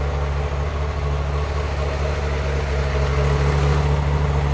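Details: 1994 Euro-spec Ferrari F355 GTS with 80,000 miles, Capristo exhaust and high-flow cats, warm idle: deep V8 drone with slight uneven lope and faint stumbles, not a clear miss; rough idle, running rich.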